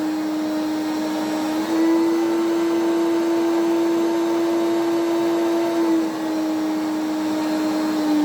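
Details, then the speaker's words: Electrolux 350E cylinder vacuum, outwardly restored but bad motor inside, run from minimum power up to boost: loud steady whine stepping up with power, then a grumble on switch-off; worn, rough motor. "let's turn it on and you can hear how poorish she sounds so we'll start off on minimum and then work way up"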